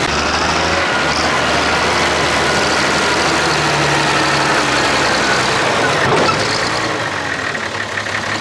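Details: Diesel front-end loader working under load with an inline injector pump; heavy roar with an uneven, stumbling beat from cylinder 6 missing; cause of the break unknown, and it ran fine before: diesel misfire on cylinder 6.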